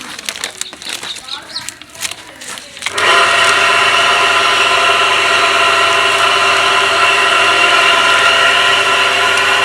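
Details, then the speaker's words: Water pump motor with bearing noise, heard running before repair: steady high whirring hum with a rough gritty edge. A failed seal let water leak into both bearings, which are to be replaced. "पानी वाला pump है लगा हुआ है इसके bearing का मसला है अभी चलाता हूं मैं आपको आवाज आएगी"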